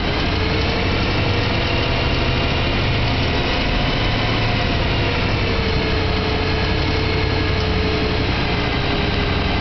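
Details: BMW E92 M3 V8 at idle after its 1200-mile service: even idle with a faint, quick light ticking riding over the rumble; clicking at idle, cause not yet pinned down.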